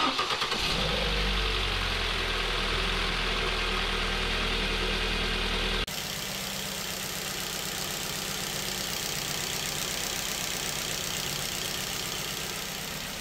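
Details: Ford Focus C-Max 1.8 Duratec petrol, six years owned, hot day: catches right away and settles into an even, steady idle with no knocking or ticking; healthy engine.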